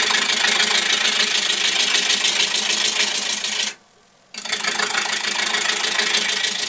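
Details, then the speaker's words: Woodturning square blank between centres with a gouge, nearly round: sound changes from clunking corners to a steady, fairly high-pitched hiss, briefly stopping once; smooth continuous cut on a now-round blank. "now as you get round more round you'll hear it goes from a clunk clunk clunk sound which is it the corners hitting it it's like a hissing noise quite quite high pitched and that's that's the sort of sound we're gonna we're trying to listen out for at the moment"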